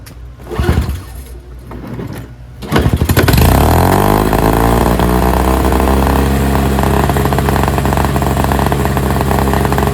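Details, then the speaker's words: NOMA 21-inch single-stage snowblower, 4.5 hp Tecumseh 2-stroke, after replacing tar-clogged fuel filter: pull-started on choke, catches quickly, then steady even buzz at full run, no misses or surging; normal running. "on full run. Runs great. I'm stoked."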